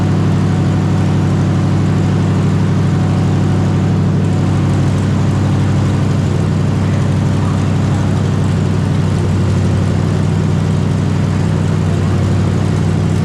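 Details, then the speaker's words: 454 big-block V8 swapped into a Honda Civic, first start on temporary systems with a new out-of-the-box carburetor, timing about 10° top dead center, no coolant, cold weather: deep loud lumpy rumble settling into a steady cold idle, nothing abnormal. "lucky it's so gosh darn cold out here it's going to take a second for the big block to warm up we can run her for a few seconds"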